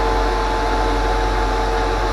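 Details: Mishimoto 1200 CFM transmission cooler fan kit cooling an electric motor, compared to 400 CFM computer radiators: loud steady rush of air with even hum, no ticking or rubbing; fan running normally.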